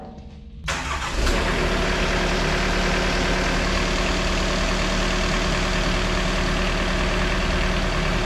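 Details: Takeuchi TB260 excavator diesel at about 1,000 hours, just after service and fuel filter change with electric pump priming: cranks briefly, catches cleanly and settles into a steady, even idle, normal, no leaks.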